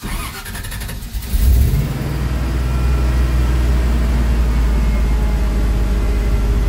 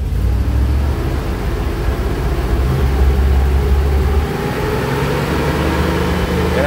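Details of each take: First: Carbureted 5.3 LS swap truck after replacing the failed MSD 6014 ignition box, old timing map loaded: starts in neutral after a brief crank and settles into a steady, even run with no misfire. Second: Carbureted 5.3 LS swap truck, in neutral: an uneven, stumbling engine note with irregular dropped beats smooths slightly when revved but keeps missing, a misfire from a failed MSD 6014 ignition box.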